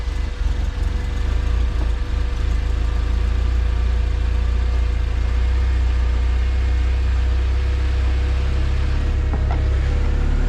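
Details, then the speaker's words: AWD turbo Honda CRX after fixing the raspy exhaust, turbo couplers not yet connected and intercooler still capped: idling at about 1100–1200 rpm, fuel pump louder than the exhaust. Deep, soft, even rumble with no rasp, a quiet exhaust at idle. "thing is so quiet it's unbelievable yo i'm loving it 11 1200 rpms the fuel pump is louder than the exhaust"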